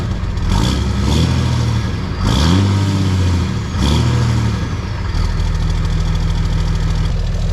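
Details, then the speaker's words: 2004 Dodge Ram 5.9 Cummins diesel with a new MBRP S6104P exhaust, replacing rusted straight pipe, given a few light revs while cold: a deep, steady idle swells smoothly and settles, with no leaks or rattles. Normal exhaust sound. "All the pipes were rusted off. It was straight pipe, so we're pretty happy with that. And you know, the sound being in the back of the truck definitely helps."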